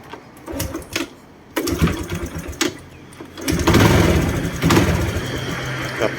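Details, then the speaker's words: Honda Wave 110i single-cylinder, engine rebuilt about a month earlier (bored, new rings), starts hard especially in the morning and has low compression: fires in uneven bursts, revs with throttle, then dies at idle. Owner suspects a leaking exhaust valve. "ไม่ค่อยได้นะครับผมสตาร์ทติดแล้วเบาดับนะครับต้องเบิ้ๆทะเเร่งไวนะครับอ่าถ้าเบาแล้วก็มีอาการดับนะครับผม"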